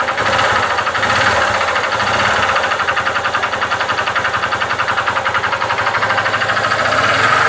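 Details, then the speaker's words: Honda Titan 150 single-cylinder motorcycle at idle: hard, regular knocking from the bottom end, roughly three to four a second; pushrod ruled out, diagnosed as connecting rod knock. "Aqui embaixo. Hã? É biela."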